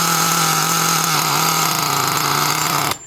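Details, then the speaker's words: Traxxas T-Maxx 3.3 nitro truck with OS 11 carb, new glow plug, aluminum flywheel and clutch, shortly after a cold start; steady high buzzing run that doesn't clear crisply, then cuts dead, running rich and loading up, low end needs leaning. "Whoop, we're running a little rich. Which is okay."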